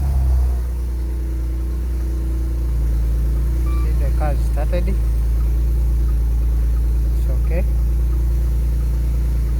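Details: Maserati that would not start or crank after a short circuit from water in the suspension control module, run with that module disconnected: steady low idle with a few chirpy squeaks, even and unbroken; normal idle.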